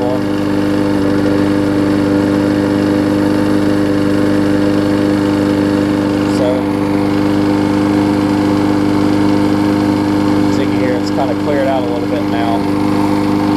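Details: Husqvarna mower with aluminum deck and a transplanted engine, after a new gas tank, a replacement carb and a tune-up, started after priming. It holds a steady, even note with a constant firing rhythm and no stumbling or surging, running well.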